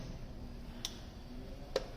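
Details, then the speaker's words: 2016 Bajaj Pulsar RS200 that had been dead, with the starter, fuel pump and ECU light not working and a suspected wiring-joint fault: after ignition on, two crisp relay clicks about a second apart, the starter and fuel pump relays working again. "देखो relay की आवाज़ आ रही है, दोनों relay काम कर रही है, सेल्फ की भी और फ्यूल पम्प की भी।"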